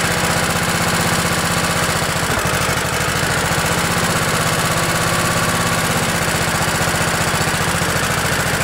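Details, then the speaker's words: Craftsman LT1000 riding mower, Kohler Command 16 hp OHV single, cold start at about 20°F after ice storm, with choke; quick catch then even thump at steady speed, no misses or rattles; healthy cold idle. "let's see what happens wow this thing's ready to go"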